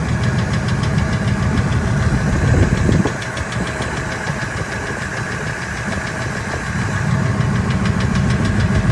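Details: 1999 Ford F-250 V10 in park at 600–1800 rpm: a light, uneven tick that comes and goes, loudest near the flex plate and gone above 1800 rpm. Injectors and coils are new, EGR deleted, headers checked without leaks. Source not found.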